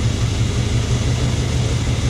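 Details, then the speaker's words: Warm engine after a coil pack replacement; the owner suspects the spark plug wires were damaged by a surge when the battery died completely. Idle still pulses unevenly with a misfire, though improved; wires to be replaced next. "but it's still got that bad mist so i think i'll replace the wires"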